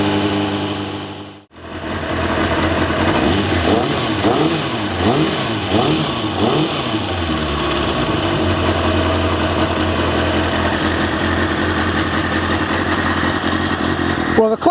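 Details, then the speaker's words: Kawasaki ZXR400, first start after rebuild, carbs not yet balanced: engine fires after a pause, revs unevenly, not sounding like it runs on all four, with loose metallic rattle from clutch side rising with revs. "clutch is still making noise and yeah it doesn't sound like it's found on four"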